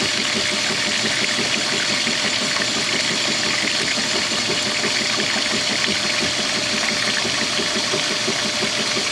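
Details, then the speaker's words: Whirlpool direct-drive washer refilling for the regular wash at full water pressure: rush of incoming water over even churning, good turnover, no knocking; normal agitation while filling. "he's taking water oh all right you had enough there you go and it just squashes again has some nice turnover right here"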